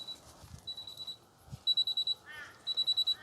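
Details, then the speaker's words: Miele T8929 WP heat pump clothes dryer running empty: it stops and sounds sharp high beeps in bursts of about five, repeating every second or so; adjust-load error, owner suspects imbalance from having no load. "adjust load i just load there's no load maybe it's just gone out of balance or something"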